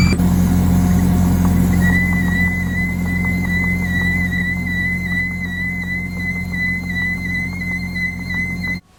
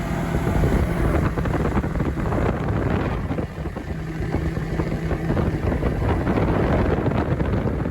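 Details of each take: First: Bobcat T870 track loader, operator's left side: a thin, steady high squeal rises over the track drive rumble and holds while it runs; owner hoped it was the rear idler, but the drive motor was trashed and rebuilt. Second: Bobcat T870 track loader after drive motor rebuild and new sprockets, idlers and tracks: steady even drone under joystick power with no grinding or winding from the drive motor; normal running, though a fuel issue remains.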